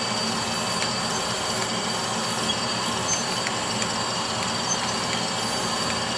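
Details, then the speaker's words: Brown & Sharpe Micromaster 510 surface grinder with a Walker 5x10 permanent magnetic chuck, doing a spark-out pass on steel. Smooth, even high hiss of the wheel and a steady spindle-bearing hum with no knocks or rumble. Normal spindle running. "so i'm gonna go ahead and do a quick grind with this show you the finish of the part and you can hear the spindle bearings so quick spark out pass"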